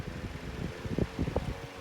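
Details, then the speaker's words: 1920s Revo desk fan with brushed motor, single speed, no oscillation: on start-up it gives uneven low rumbling thumps and flutters instead of a smooth run; source of the noise unknown. "I don't want to know what that noise is. It's another brushed motor."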